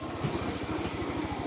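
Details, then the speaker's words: Honda Moove scooter that stumbled, bogged on acceleration and started hard after sitting a long time; kick-started because of a small, old 5Ah battery. Now it idles with even, steady pulses, no stumble or dropouts; stumble gone, normal idle. "ก็แต่ตอนนี้อาการคือเดินเบานิ่งนะครับเบิ้ลหายแล้วนะครับเออเบิ้ลวอดหายแล้วนะครับก็ตอบสนองดีนะครับ"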